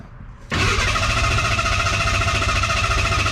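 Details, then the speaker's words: Ford Ranger truck, ignition disconnected after an oil and filter change: the starter cranks steadily, about three or four turns a second, with no firing, to build oil pressure before starting. Normal cranking. "what we're going to do is after we change the oil because i know the we filled the oil filter i want to see pressure on the oil gauge first before i actually plug in the ignition and fire fired up"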